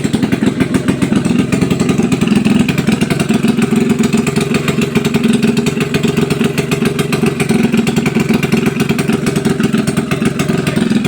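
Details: Test run of a freshly overhauled small single-cylinder motorcycle (tagged XRM125, drag bike). Steady, even firing at a fast idle with a crisp exhaust beat and no knocks or misses. The engine runs healthy after the overhaul.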